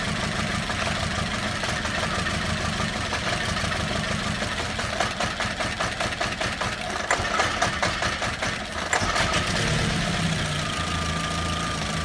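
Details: VW Beetle 2.0 petrol at idle: uneven idle that stumbles and lopes, breaking up mid-clip before settling; a misfire, with the engine intermittently running on as few as one cylinder.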